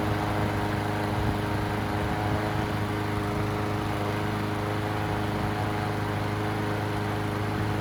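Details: Murray push mower after carburetor replacement and a balanced, sharpened blade: runs at a steady, even speed with a smooth drone, no surging, misses or knocks; sounds healthy.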